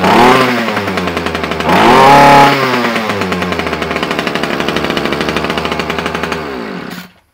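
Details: Titan strimmer that previously ran only on choke and died off choke, after carburettor swap: small two-stroke revs up cleanly, holds steady even idle without surging off choke; running normally.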